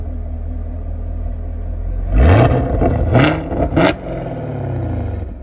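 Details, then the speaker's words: Mostly stock 6.2 L (376 cu in) V8 with a quad-tip NP exhaust, before a PCV valve replacement: idle rumble, then three quick throttle blips with pitch rising and falling cleanly; normal, strong, even revving. "Uh sounds pretty nice from the factory, you know. Um, not the loudest exhaust, definitely not obnoxious, uh, but definitely, uh, loud enough to let you know that you got a V8 under the hood."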